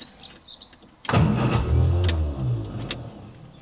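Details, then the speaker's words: 1966 MGB GT B-series engine, first start attempt in several years with new battery, fresh fuel, fuel pump clicking, choke fully out: starter churns in even low rhythm but never fires, though it very nearly caught. "okay oh that was a bit of a cuff okay we've had a few attempts and unsuccessful so far but it did sound like it very nearly fired then"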